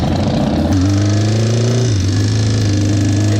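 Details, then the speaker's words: Cafe racer motorcycle, carburettor rebuilt by a mechanic; loud lumpy idle with a rattling, chattering clatter over the exhaust, identified as the cam chain, and the bike was taken to a shop for repair. "That sound right there was the sound of the cam chain. It just making that sound you heard in that clip."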